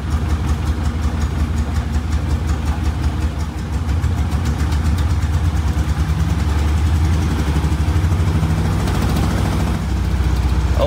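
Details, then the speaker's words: 1962 Austin Healey Sprite Mark II four-cylinder after oil pump priming: steady low idle with even throb, no knocking or rattles; oil pressure now up, healthy idle. "let's give this a go again and there you go we have oil pressure now"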